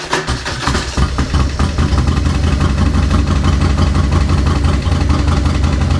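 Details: 2004 Harley-Davidson Road King, 88 ci Twin Cam V-twin, unused about 5–6 years, no primary fluid and derby cover open; a few quick cranking turns, then it catches and settles into an even, loping idle; starter and engine working.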